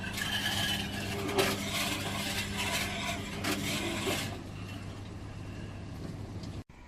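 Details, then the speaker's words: Washing machine drum turning: uneven rasping scrape repeating with each drum turn over low motor hum; bra underwire caught in the drum holes and dragging. "really not sure about the noise that's making that's not right that's really not right"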